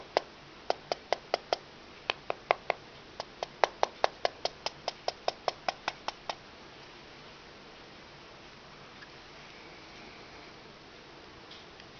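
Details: iPhone 3GS: sharp light clicks, about three a second, crackling from upper back cover of phone; removing SIM card doesn't stop it.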